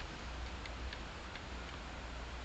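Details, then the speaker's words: Homemade wind turbine on bicycle-fork pivots, heard up close while spinning: faint light ticks a few times a second over the wind rush; owner suspects the bearings need grease. "actually now that I'm up up close to this one I can hear it ticking a little bit I might need to grease my bearings"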